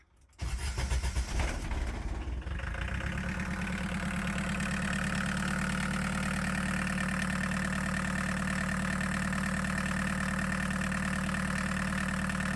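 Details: 1.6L VW diesel swapped into a Chevy S10 pickup, start after glow plug preheat and bleeding fuel system: short crank, fires and settles to smooth, even diesel clatter at steady idle; normal start and idle.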